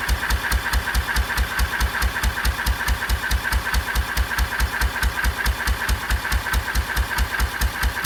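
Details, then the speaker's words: 1926/7 National 5V petrol-paraffin engine after new rings, warm, running on kerosene under load through an under-engine silencer plus a Lister silencer. Steady, even thumping at about 140 beats a minute with a crisp exhaust: clean, normal running. "This is running on kerosene, and it was lovely and clean. Ran very well indeed. It's got a lovely sound to it."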